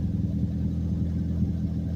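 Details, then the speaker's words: Mazdaspeed Protege with muffler delete, catback flange leak sealed with high-temp gasket maker: deep, even rumble with steady low beat, no puffing at joints; exhaust sealed, normal note. "that sounds so good muffler delete life boy blue arms damn she sounds mean"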